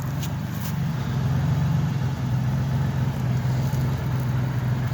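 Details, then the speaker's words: 1998 Ford F-150 XLT 4.2 at idle: low rumble with an uneven stumbling beat about three pulses a second; engine sputtering, rough idle. "you guys kind of hear it sputtering"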